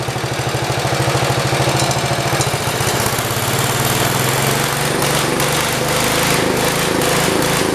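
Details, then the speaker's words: 1973 112 small single-cylinder engine after carburetor work runs fast and lumpy then rough and shuts off as before; owner suspects flooding, slow idle setting or the points. "Shut off like it did before. Let's try starting it back up. Maybe I idled it slow. Sounds like it's flooded."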